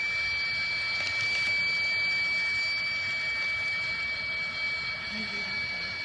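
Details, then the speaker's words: Vehicle at 40,000 miles, no-start after dealer oil cooler job; air test with microphone by crankcase vent, engine not running: steady even airy hiss escaping the vent from a failed STC fitting. "putting the microphone of the camera down by it so maybe you can hear me the air but the amount of air blowing out is kind of freaking crazy"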